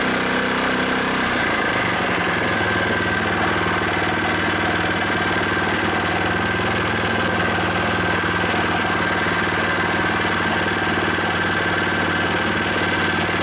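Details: New Predator 79cc single-cylinder small engine on first start-up after unboxing, freshly oiled, no choke needed, warming up; after a brief settle, a steady even idle thrum with no knocks, misses or surging, healthy.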